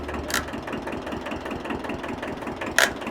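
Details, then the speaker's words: Free 1974 Kubota tractor, steering worked while running: fast ticking idle broken by two sharp cracks about two and a half seconds apart; cracking noises, owner worried about the steering gearbox, exact source unclear. "Yeah, it's starting to make cracking noises and stuff."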